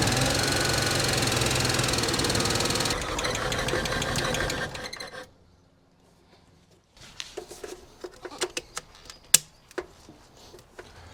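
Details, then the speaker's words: Abandoned Nissan R34 Skyline Neo engine (solid lifters), first start after long storage with fresh fuel: rough, loud running with rapid ticking-knock about four a second before dying; owner suspects noisy lifters/tappets from disuse, cause unconfirmed. "It should be solid lifters being a Neo motor, but yeah, they do get noisy if the car's been started up in a long time."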